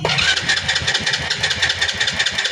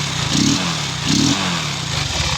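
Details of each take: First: Motorcycle that would not start, with strong spark at the high tension wire, fires into a fast, buzzy run, drops out briefly, then catches again. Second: Motorcycle after a new spark plug was fitted gives two quick throttle blips rising and falling cleanly, no pops or backfire; running normally, old plug had been fouled by unburnt fuel pooling in the manifold causing backfire.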